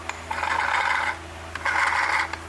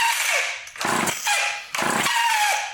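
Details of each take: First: Vintage Craftsman chainsaw with Power Sharp self-sharpening, turned by hand: two rasping half-second scrapes as the stone contacts the chain top when the knob is advanced; normal sharpening contact. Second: Vintage Craftsman chainsaw with Power Sharp self-sharpening feature, recoil just lubricated: six rasping recoil pulls about one a second with silence between, never catching; cranking no start, carburetor not pumping up any fuel, possibly needing a simple carb rebuild and fuel line replacement.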